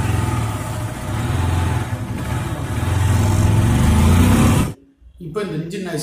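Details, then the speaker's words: Honda Unicorn single-cylinder motorcycle at idle: loose rapid rattle over the low thrum; the timing chain adjuster/tensioner has failed and isn't holding the chain. "இன்ஜினில் வரக்கூடிய timing சேன் adjuster வந்து பழுதாயிடுச்சு, அதனால தான் இந்த sound வருது. அது சரியாக வேலை பார்க்காதனால தான் இந்த சவுண்டு வருது."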